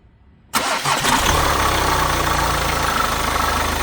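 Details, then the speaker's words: VW Golf after fitting a new belt tensioner and new alternator one-way clutch pulley: short crank catches at once into a steady, even idle with no chirp, slap or rattle; previous tensioner bounce from slipping alternator clutch is gone. "So the noise is gone already, so the tensioner is sitting properly and running properly and how it should be."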